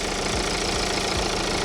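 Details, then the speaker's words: BMW 1 Series diesel just restarted after running out of fuel, engine light on, idling with a lumpy, uneven beat that is steadying out; owner suspects it was cold or had air in the fuel system. "Seems to have calmed down a little bit now, to be honest with you."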